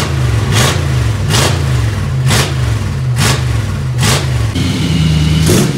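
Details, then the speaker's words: 1955 Chevy before its Magnaflow mufflers were fitted, running with no mufflers: a deep, loud, open, flat idle rumble, the raw drone of the unmuffled exhaust, described as demolition-derby-like. "this right here is before we put Mufflers on it it definitely had a very stock engine sound to it or like a uh as Jesse says demolition derby car and we definitely want to fix that"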